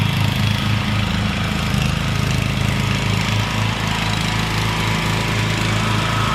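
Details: Rebuilt Troy-Bilt mower cutting grass, after new piston rings and a brand-new carburetor adjusted about half a turn. Strong, even drone holding speed steadily with no misfire, surging or knocking; normal running under load.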